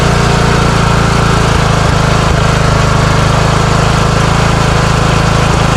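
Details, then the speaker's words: Craftsman riding mower surging, running on an external tank of fresh fuel, fuel left in over winter: loud steady run broken by sharp pops every second or so; still backfiring, carburetor to be replaced. "Heat up here. Okay. So, it's still backfiring."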